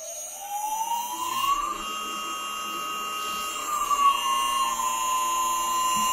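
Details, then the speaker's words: Three-phase CNC spindle motor on single phase via VFD, commanded by Centroid Acorn wireless pendant: clean whine rises smoothly with speed, holds, eases down evenly; drive answering speed commands properly. "I can go ahead and tell the spindle to start and if I've got my spindle selected here on this selector switch I can change the speed of it"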